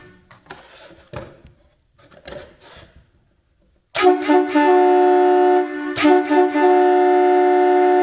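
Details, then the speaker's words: Vintage Hadley chrome boat air horns fed by a small direct air compressor with a whirring pump: two thin, strained blasts reading about 120-123 dB, no punch; compressor not supplying enough air. "Yeah, it's just not, the dB meter says 125, but it's just terrible."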